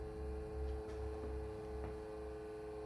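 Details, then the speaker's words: APC SUA1500RM2U 1500VA UPS just powered on: a horrible steady drone over a rough, uneven rumble that wavers. The cooling fan has failed and probably needs replacing. "Yeah, so the fan has failed in this. I'm probably gonna have to take it apart and replace that, which is unfortunate because now this is powered."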